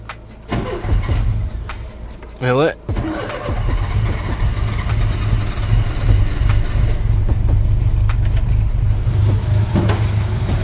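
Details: Ford Capri with Pinto engine, newly fitted reconditioned engine, new distributor, points, leads, plugs and carburettor: catches after a short crank, steady even run with light quick ticking; slightly noisy valve train (solid shims), otherwise normal running.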